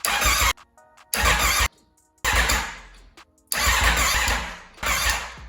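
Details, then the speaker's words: Wrecked 2021 Aprilia RSV4 being rebuilt, fresh 91-octane fuel: four short half-second bursts of cranking, but it never fires; the fuel pump can't be heard, so no fuel is suspected (the pump later ran after the ignition was re-cycled). "not firing up just yet is she getting fuel try again nothing really"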